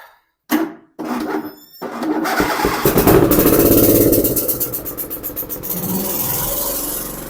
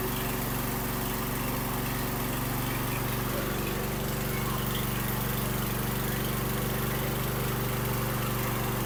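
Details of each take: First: Husqvarna YTH2454 mower, 24 HP 44 cu in twin-cylinder Briggs & Stratton, running on only one cylinder (exhaust about 84° on the dead side vs 375–390°); lumpy, uneven run with a clicking tick about three times a second; valve cover to be checked, cause unconfirmed. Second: Husqvarna YTH2454 with a 24 hp Briggs & Stratton 44 cu in twin, previously running on one cylinder because the valve guides slid out: after the repair and a new pre-filter, a steady, even drone on both cylinders with no misses.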